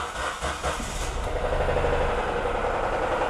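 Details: Ford Ka 3-cylinder engine with internal noise (rajando): uneven idle with dull low knock repeating a few times a second beneath hiss; rod bearing knock.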